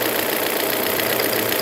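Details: 2001 Volvo V40 1.8 bi-fuel at idle: fast light ticking over engine note, intermittent, sometimes loud then vanishing for minutes; timing belt replaced, oil and filter changed, no warning lights; cause unknown.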